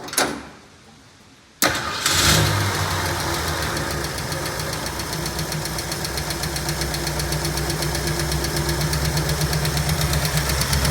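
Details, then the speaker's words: 1965 Ford Mustang V8, after sitting 33 years with a locked-up engine, running on water in the radiator: cranks, catches and settles into a rough idle with a light, quick lifter tick from the top end. "Listen to that baby purr. Besides the lifter tick, it actually sounds very good."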